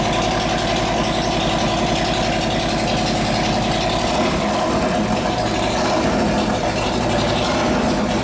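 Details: S&S 93ci Evo V-twin with panhead rocker boxes in a 1999 bobber, about 250 miles, sat about 12 years, repaired for no oil pressure; oil pressure now present, oil low and foamy: loud, steady lumpy idle with a firm low beat, no knocking or rattle; running normally.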